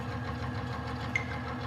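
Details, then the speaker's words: Lubricant test rig under added weights after applying Huskey Tough Stuff grease, steady low mechanical hum with even beat; the high-pitched metal-to-metal squeal has stopped. "now look what happens when we apply just a small amount of our instantaneously you can hear that high-pitched squealing is stopped"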